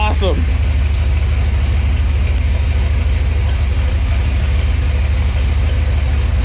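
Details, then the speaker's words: Small-block Chevy 400 V8 after JEGS Bandit EFI install, warm idle 750 rpm, 13 AFR, 11 inHg vacuum: deep, choppy, lumpy but even exhaust rumble, no misses; healthy and strong. "we got 750 idle I only got 13 AFR 11 inches of mercury that's pretty good [Music] foreign God this sounds rowdy"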